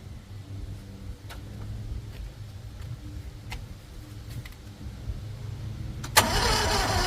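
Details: CRT23 Chinese mini skid steer with booster pack on the starting battery: slow, laboured crank about three and a half turns a second for six seconds before firing; starter dragging, owner suspects starter failure, not confirmed.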